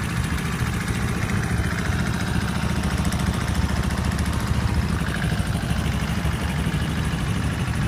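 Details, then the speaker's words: Freshly rebuilt Honda 50/70/90cc single in a scooter, first start: quick, steady putter with an even beat and no knocking or misfire; seems to run pretty good. "And there you go. Seems to be running pretty good."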